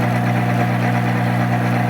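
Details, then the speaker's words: Monarch 10EE 30-inch lathe, first run after sitting about 20 years, threading with half nuts engaged: steady even mechanical hum and gear whir, no knocks or grinding; noisier than feed, as on the owner's other machine, likely from more gears. "okay so like my other machine always noisier in threading i think there's more gears for it to go through"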